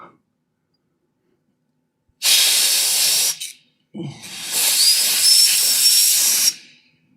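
A loud, high airy rush that starts and stops with power: a small fan spinning very fast and running fine.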